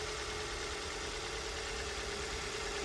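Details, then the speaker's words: Engine after intake manifold gasket repair and an oil change, with residual smoke from washing: steady, even idle with a constant hum and some hiss, no knocks or misses, no engine light; normal idle. "yeah, we're good to go. Runs killer. The real test is when I turn the AC on."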